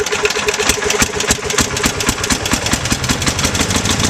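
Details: Bolens 1250 tractor with its original Wisconsin S12D single-cylinder engine and Eaton hydro, after a governor spring tension adjustment; leaking fuel pump gasket and temporary muffler setup. Crisp, even, rapid firing with no misses or knocks; running fine.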